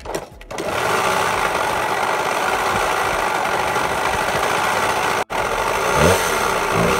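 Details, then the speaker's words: 1992 Suzuki RM125 two-stroke dirt bike revving: rough, rattly rumble under the exhaust note that rises with revs, attributed to worn crankshaft main bearings rather than the piston; it smoked heavily, and crank bearings and seals are being replaced. "if you listen in that noise if you hear is not the piston it is they the the bearings and on the crank so I'll be replacing the crank bearings along with the crank seals"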